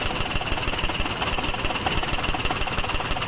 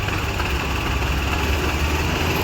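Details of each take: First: Maruti Suzuki WagonR idling in CNG mode with misfire and vibration, no check light, fine on petrol: fast sharp ticking from an overflowing CNG injector; it stops when the first injector's connector is unplugged, and the injector is to be replaced. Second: Maruti Suzuki WagonR idling on petrol: smooth, even, steady low hum with no stumbling; the misfire and ticking appear only on CNG, from a faulty CNG injector.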